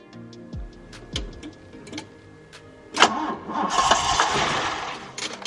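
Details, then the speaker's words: Car unused for over a year, cranking with brake cleaner sprayed into the intake: starter cranks, the engine briefly catches and roars, then drops away. Spark confirmed; a fuel delivery fault, with the fuel pump or pulse damper suspected. Cranks but won't start. "right so we know it's a fueling issue"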